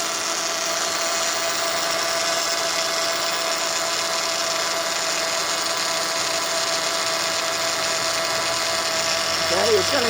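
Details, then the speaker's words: 2004 Honda Odyssey EX power steering pump: steady high droning whine with vibration felt at the pump, bubbles swirling in the reservoir; aerated fluid from an inlet air leak, fixed by replacing the inlet O-ring. "louder than that you can see it got it's got bubble and look and it looked like uh looks like there's a tomato going on in there okay see a bubble so it looks like i got an air leak somewhere"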